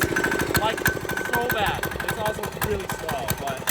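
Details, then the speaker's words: Cheap Amazon 196cc diesel engine on a mini bike, not yet turbocharged, at full throttle: rough rapid clattering knock over a labouring, tractor-like note, slow; heavy diesel rattle, cause not identified. "honestly this thing kind of sounds like a tractor and it looks about as slow as a John Deere so hopefully the turbo makes a little bit more boost than we're thinking because this thing is slow well it rattles"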